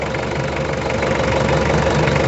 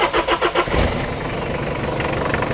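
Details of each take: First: Mitsubishi Kuda 2.5L diesel idling hot during a blow-by check with the oil dipstick pulled; steady, even light clatter, no misses or surging, no smoke from the dipstick, so compression is still good and there is no blow-by. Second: Mitsubishi Kuda 2.5L diesel being checked for blow-by, cranking then idling with rough puffing chuff over diesel clatter; the exhaust pipe is leaking, giving a "bos-bos" sound.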